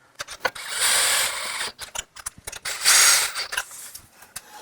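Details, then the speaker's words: 1972 BMW 2002 with newly mounted forged 4-piston Brembo calipers, wheel spun by hand: two soft swishing scrapes fading quickly as the new pads lightly brush the disc; normal, with about a finger width of caliper-to-wheel clearance. "you can hear the brake pads rubbing. We put pads in it to make sure the clearances were all good, but there's plenty of clearance, just barely more than a finger width between the caliper and the wheel barrel,"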